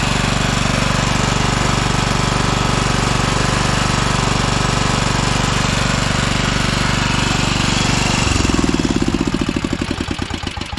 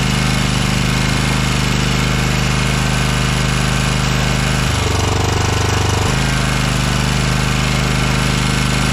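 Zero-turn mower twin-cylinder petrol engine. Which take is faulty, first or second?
first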